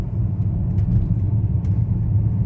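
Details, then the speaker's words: VW Touareg V10 5L biturbo on a road test after the turbo intake air-pressure-loss fault (P2279/P0299, limp mode, bucking, black smoke) was repaired and codes cleared: deep, even engine rumble with no surging, whistling or stumbling; runs normally. "donc me voilà reparti faire un essai routier à première vue tout va bien"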